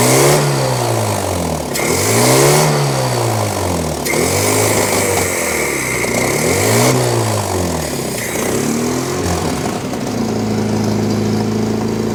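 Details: 1983 Toyota 4x4 pickup, 22R 4-cylinder, manual, revived after 10+ years sitting: clean repeated blips rising and falling smoothly back to steady idle, no stumble or bog; revs freely, no longer flooding, charging at 13.6 V.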